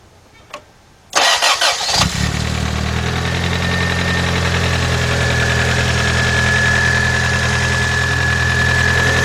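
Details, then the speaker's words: 1991 Toyota Corolla 1.6 after new timing belt, cam and crank seals and valve cover gasket: quick crank, then smooth even idle, no knocks or vibration; sounds good, slight oil drip remains. "okay guys is not even vibrating on anything let me shut this thing off [Music] alright guys that is pertinent that sounded really good except for another drop of oil"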